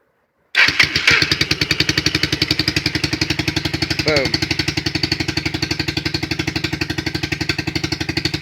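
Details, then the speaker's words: 2008 Highbird 200cc four-wheeler just after cold start on quarter choke: single cylinder thumps at a steady rapid beat of about four per second, slightly busy choke idle, then idling fine off choke; normal cold idle. "And it's on still, it's on a quarter choke still. Push it all the way down. It's completely off the choke. Idling just fine."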